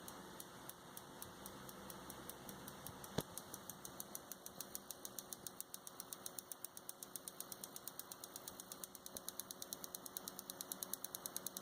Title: Seasonic SS 500 HM clicking noise